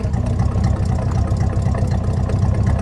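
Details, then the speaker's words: Replacement V8 engine for an old square-body Suburban, on cold start with owner-made exhaust: deep, even burbling idle with a steady low rumble and no knocks or misses; normal idle. "I have to say, it does sound pretty good. I'm proud of myself for the exhaust that I made on this thing."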